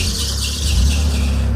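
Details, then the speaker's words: Roadkill junkyard truck, engine badly overheated the night before, fuel pump hardwired to battery: engine running with a steady high squeal over a low rumble, worsening; cause unknown, later resolved on its own. "what's that noise I don't know but it ain't getting any [Music] better"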